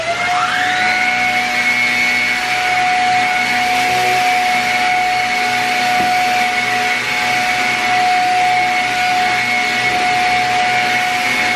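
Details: Shark Rocket upright vacuum, after cleaning parts to cure low suction, tested on dirty carpet: steady high whine with an even rush of air, no labouring, rattles or pitch drops. Normal running.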